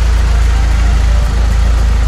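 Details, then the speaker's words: BMW Z3 E36 1.9 M44 140 hp inline-four at idle. Heavy uneven, shaking idle with a big misfire; it won't rev past 4000 rpm. Fuel pressure regulator, ignition coil, plugs and fuel pump already replaced; a smoke test for an intake leak is planned. "elle tremble elle tremble excessivement grosse râpée grosse ratée d'allumage"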